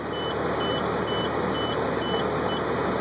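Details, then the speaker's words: 1996 Ford Thomas activity bus with 5.9L Cummins diesel at idle after cold start: low air pressure warning beeping about twice a second while the air compressor builds pressure, then the warning shuts off quickly; warning system working normally. "Low air lights working. Beeper's working. Buzzer's working. See the air compressor catching up and popping"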